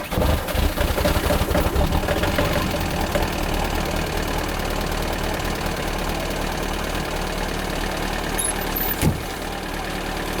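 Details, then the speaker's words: 2003 VW Jetta Wagon 1.9 TDI ALH diesel, 270,000 miles, timing advanced about 3°, EGR and cat delete, stage 2 tune; cold start at about 1.5°F, coolant heater unused. Rough, even diesel clatter over a low rumble, settling after starting easier than before; normal cold diesel idle. "I advanced the timing a little bit, so it started a bit easier this time than the last time. I'm Sounds like a diesel, that's for sure."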